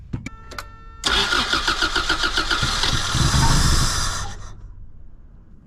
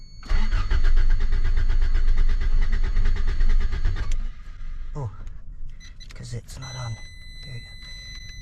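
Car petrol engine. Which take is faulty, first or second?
first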